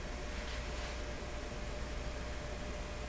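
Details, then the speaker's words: Nordmende Boheme C tube radio, heard about a foot away: only a very faint low steady hum under quiet hiss; normal, acceptable residual hum. "no hump see there is a hum in there but it's very very faint"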